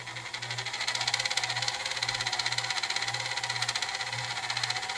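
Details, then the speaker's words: Sony DTC-A6 DAT deck, aged unit, after repair and a 35-minute play test: hissy high mechanical whir pulsing about four times a second while rewinding; loud transport typical of old units. "and some of these kids set get a little bit loud after they get pretty old"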